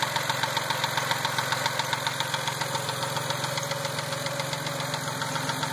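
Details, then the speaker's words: Mazda after dealer lifter job, at idle: sharp even tick about four per second, louder once warm; absent before the repair, cause not confirmed. "That's what it sounds like after I got the car back from the Mazda dealer. Once it warms up, it gets louder."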